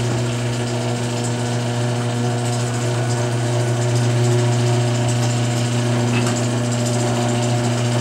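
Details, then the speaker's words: Garage door after Royal Purple MaxFilm applied to hinge joints: smooth, even opener hum with only faint roller patter, no creaks or squeaks; hinge joints were the main noise source, now super quiet. "Wow, there was a lot more noise coming out of those hinge joints than I would have guessed. That's super quiet. It hasn't been that quiet."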